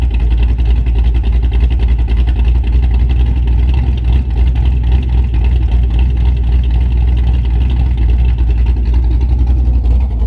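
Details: Camaro big-cam V8 idling after installing a Summit Racing Max EFI-500 in place of the carburetor (carbureted idle had been about 900-970 rpm, now IAC-controlled): lumpy, loping, uneven deep rumble that wanders slightly. Normal idle.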